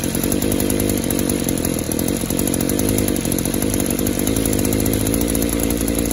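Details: Echo Power Edge 280 curved-shaft two-stroke edger that dies at idle; the fuel system pressure test was done, but the revs are still blubbery and stumbling. Engine loading up under throttle; clogged exhaust or a scored piston/cylinder is suspected.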